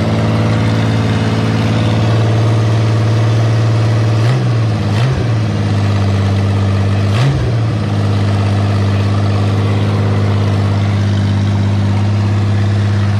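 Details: Freshly rewired fuel pump primed, engine cranks and settles into a steady, even idle with a smooth low hum and a couple of brief blips, WD40 burning off, water pump giving good pressure; runs healthy.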